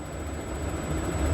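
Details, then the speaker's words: New 35,000 BTU Fogatti propane RV furnace, first firing after install: fan clicks on, igniter fires, flame lights; even low rumble from burner and blower with faint steady high whistle, no pulsing or rattle; normal operation. "So you hear the fan click on, then you'll hear the igniter. There's the igniter. Boom, there's the flame."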